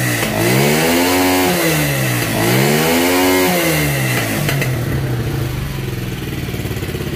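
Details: Motorcycle that bogged and stalled, now with a replaced part: two clean revs rise and fall smoothly, then settle into an even, steady idle. Notable improvement.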